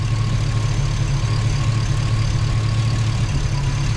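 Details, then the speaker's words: Chevy Tahoe, new ATK 5.7 LS V8 during its first idle break-in session on a safe break-in tune. Oil pressure about 40 at idle, 60 revved. Deep, steady, even low rumble with no knocks or ticks: normal idle. "Need to rev it back up. I don't want to let it idle too long. All right, she's running. We've gotten through one idle session, or break-in session."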